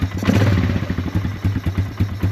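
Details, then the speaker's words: Polaris Scrambler 500 ATV, a barn find that sat 10 years, running with no air filter, smoking a little and leaking gas from the overflow: slow uneven single-cylinder thumping near stalling; idle too low, needs adjusting. "It runs just um smokes a little bit. That's something cool. Idle is really low. So, we need to adjust the idle."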